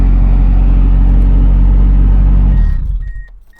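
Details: Ford Escort after new ignition switch fixed HVAC blower not turning off or on: steady, even low idle rumble with no misses or knocks, then clean shutdown and a few chimes; engine runs normally.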